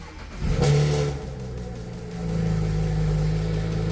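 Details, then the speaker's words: BMW 335i convertible, intake pipe and modifications, warning lights on: quick crank, short rev flare, then steady smooth low idle hum with no knocks or ticks; normal start and idle. "sounds good but that's what I expected brake service engine soon tire pressure malfunction but it sounds good so who cares right"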